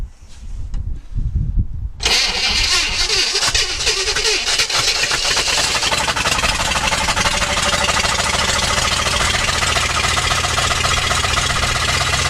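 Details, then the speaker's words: 1964 Chevrolet Impala 4-door hardtop, first start after sitting about 40 years with fuel poured into the carb: it runs rough and loud with a heavy repeating knock. A rod knock or flex plate is suspected, or a noise from underneath the car. "It sounds like a rod knock or something with the flex plate. I'm not sure. It runs, so it's just a matter whether that noise is something just underneath the car or if it's in the bottom end."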